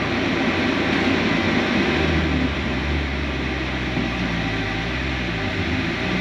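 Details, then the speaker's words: Mercedes SLK320 supercharged on test drive after new coil wire and spark plugs fixed an immediate misfire: engine drone climbs smoothly under load, loud but no stumble, popping or misfire; normal acceleration. "this wo I think we're fixed oh that was loud"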